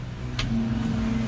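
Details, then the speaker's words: GMC Five Window truck with fuel gauge not reading, reportedly new sending unit, key on: click then steady even low electric hum, fuel pump priming normally. "we can hear the pump. Oh, got our blinker on. Pump's working,"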